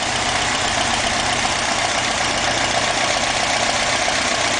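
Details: Restored 1977 Alfa Romeo Spider S2 with a 2.0 twin overhead cam Nord engine, not yet fully tuned. Even, steady engine note with no knocks, misses or surges; it runs fine.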